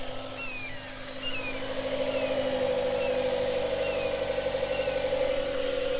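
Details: Mazda idling just after being jump-started with an IMAZING IM29 portable jump starter. Steady, even idle with constant mid tone, no knocks or misses: engine running smoothly.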